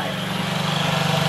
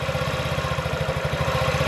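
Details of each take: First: 2017 Honda Ruckus NPS50 50cc four-stroke scooter, just started, tachometer reading 1980 rpm: small fast, steady buzzing idle, far too high; idle screw adjustment needed. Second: 2017 Honda Ruckus NPS50 50cc four-stroke scooter, idle set just under 2000 rpm on inductive tachometer: even putt-putt, steady with no stumbling; sounds like new, normal idle, earlier problem possibly just the spark plug.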